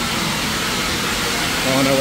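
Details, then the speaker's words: Steam engine line at industrial steam museum during warm-through, regulator opened on low-pressure line: continuous loud hiss, faint tone rising near end, from a line drain left open; boiler struggling to hold above 50; steam leak. "we don't need much we just got a little bit just there in the Dover house and we've got a lot of steam coming from somewhere"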